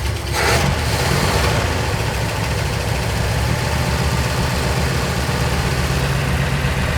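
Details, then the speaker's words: 1985 Ford Econoline E-350 box van V8 just started after sitting for years on bad old gas, doghouse cover off: uneven lopey idle with irregular low thump and ticking valve chatter; owner suspects oil not yet up top. "it runs and it's kind of idling. Still lopey. Oh boy. And very chattery."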